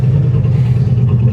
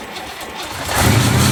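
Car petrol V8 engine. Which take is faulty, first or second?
second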